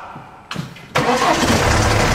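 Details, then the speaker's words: BMW 1 Series convertible, about 300,000 on the clock, at start: short crank, catches, then dry metallic rattle over settling idle; timing chain suspected, not confirmed. "Ja, ich stecke auch auf die Steuerkette, ja. Ist ja schon richtig."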